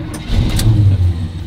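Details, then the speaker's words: Engine cold start: it catches, then surges and sags unevenly while the throttle is blipped to keep it alive; fine when warm, stumbles when cold; over-revving cold spikes oil pressure. "I'm gonna have to do that every time you start it up like come on no when it's warm it's fine but when it's not warm"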